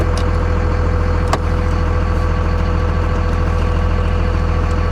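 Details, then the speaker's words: 57,000-mile Dodge Ram 3500 diesel pickup at a salvage yard, given a little throttle rev: a deep, even diesel rumble with a smooth, steady beat, no knocks or rattles; normal, healthy rev. "Let's give it a little rev. Oh, I love it."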